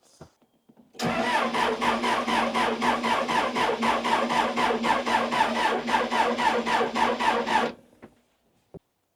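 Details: Neglected Case 580 Super L backhoe diesel, unused for a long time, cranking with fuel filter bleeder loosened: steady cranking about four compression beats a second for six seconds, never catches; air in the fuel system.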